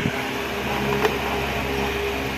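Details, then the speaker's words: Repaired electric fan with new motor and banana-type blade replacing original: steady even motor hum with smooth airflow hiss, no rubbing or wobble; healthy running. "Sobrang ganda na yung buga ng hangin niya."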